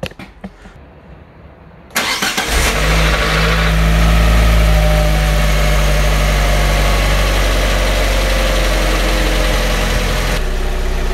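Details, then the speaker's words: Fiat 500 after lower arm replacement, with a new timing belt and clutch done earlier and an ABS fault still unresolved; the blower is turned off. It cranks and catches in about two seconds, then settles to a steady, even idle; normal idle. "as you can hear now i've turned off the the blower so you can hear the engine the runs lovely"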